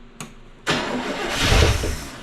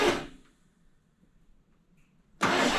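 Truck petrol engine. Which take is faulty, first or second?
second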